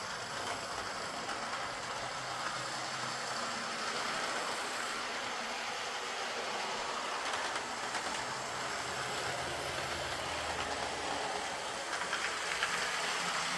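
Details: Old Lima Class 40 model locomotive in BR green, after repair with a completely replaced motorised chassis (original front bogie faulty, wouldn't run): quiet even motor hum, soft wheel clicks on track, no surging; pulls away slowly, normal smooth running.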